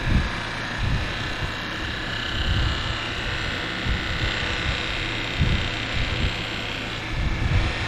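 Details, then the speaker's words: Minn Kota Edge trolling motor after cleaning water and gunk from the lower end and fitting new seals and brushes, run while being loosened and turned to tune it. Speed rises and falls and it goes quiet at the fastest point. Steady even whir, normal. "See how quiet that got? You listen for it, when you turn it like that a little bit, you hear it go faster and slower."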